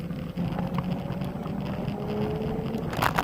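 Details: Xiaomi Pro 2 electric scooter rolling with a faint motor whine and rumble, broken by short scratchy creaks and squeaks from a dry pivot joint; fixed with a drop of synthetic machinery oil.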